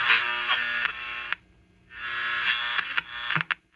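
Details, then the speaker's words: Philco Transitone tube radio after tuning shaft oiling, powered up: station audio breaks up with sharp crackles and dropouts as the dial turns, caused by whiskers or tiny metal shavings shorting the tuning condenser plates. "hear that that crackling noise what that is is there's cat whiskers that have gotten down in here you see these little rotating plates sometimes you'll get like little magnetic or frustratingly small and tiny little metal shavings it'll get between those tuning condenser plates and that'll cause a basically a shorting"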